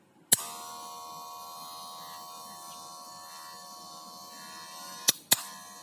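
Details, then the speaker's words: Cordless hair clipper (Wahl-type) after fixing noisy running, with a guard fitted to keep hair out: clicks on and runs with a steady, even, smooth buzz, not shrill. "Hai kalau misalkan mesin udah bunyi halus seperti ini secara otomatis customer juga lebih nyaman dan kita juga nggak merasa ragu buat ngebet rambut atau kepala customer ya"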